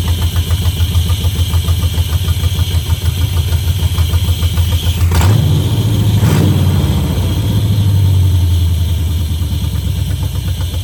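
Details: 1971 Chevrolet Camaro Z/28 V8 barn find: starts right up, steady even idle with clean throttle blips that rise and settle; normal start and idle.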